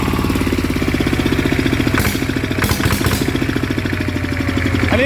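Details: ET95 single-cylinder diesel upgraded to 120 with new spring and performance intake/exhaust capsule muffler, first run after rebuild: even, steady chugging with regular beat, no knocks or misses; normal idle.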